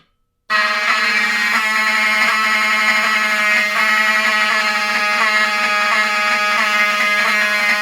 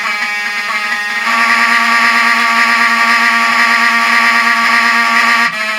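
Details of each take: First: But when the system is in battery backup, with the backup batteries, the power supply on the inside will output filter DC, which will make the alarms themselves sound a lot nicer, more smooth, I guess. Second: Vintage Wheelock 7002T fire alarm horn strobe fed full-wave rectified power by the panel on normal power: harsh, buzzy, scratchy horn tone with a gritty rasp. It sounds smoother on filtered DC during battery backup.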